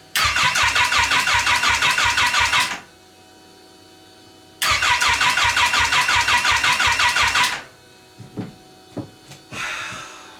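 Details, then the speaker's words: Wrecked Kawasaki Ninja H2 engine bought on eBay, bench start attempt: two cranking bursts of about three seconds, starter chugging near 170 per minute, never catches; owner thinks cranking flooded the engine, and plugs pulled showed it hydro-locked with fuel. "dang it well this disappointing all right so I think I flooded the engine by turning it over"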